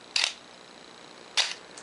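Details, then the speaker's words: Minolta X-700 35mm SLR with a 50mm f/1.7 lens, shutter set manually to 1 second: two crisp clicks about one second apart. The shutter opens and closes right on the setting, so operation is normal. "we can set the shutter speed manually here to one one thousandth oh and shut off the timer 500 250th 125th one-sixtieth one-thirtieth one-fifteenth one-eighth one-fourth one half and one full second"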